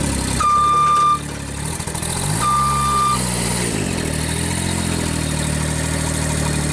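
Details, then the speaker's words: JLG baby scissor lift engine after new starter and new battery installed, original crankshaft position sensor still fitted: a short beep, then it catches, surges briefly and settles into a steady, even warm-up idle with no misses; runs normally. "Yes. Very good. We'll let it run for a little bit, warm up."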